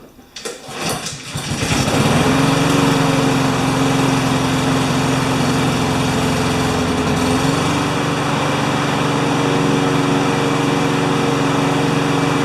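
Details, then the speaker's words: Honda GCV160 mower engine, cleaned and needing a tune-up, with a deteriorated air filter; fires on a pull and settles into an even drone slightly low in pitch. Running a little slow, so the governor arm is to be adjusted. "sounds like it's running just a little bit slow but it does need a tune-up"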